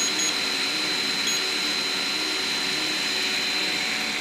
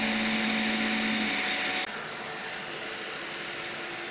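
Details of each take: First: Piocreat G5 pellet extruder 3D printer, large nozzle, 1 mm layers, speed raised to 300: harsh grinding hum as the extruder stepper strains and overloads; too fast, turned back down. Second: Piocreat G5 pellet extruder 3D printer, 2 mm nozzle, speed setting 150: steady whining motor hum with even feed, no stepper stalls. Normal printing at about the maximum advisable speed.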